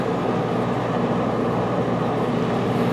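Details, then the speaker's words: GE portable 3-in-1 A/C in a 1995 Starcraft Stardust pop-up camper, 220 V plug run on 110 V house supply, running hard: steady even roar from compressor and blower, no knocks or squeals; normal running under heavy load. "we had it was running hard and we didn't have our curtains up helping keep some of the heat out so oh that didn't help any making it run even harder and she's blowing pretty good"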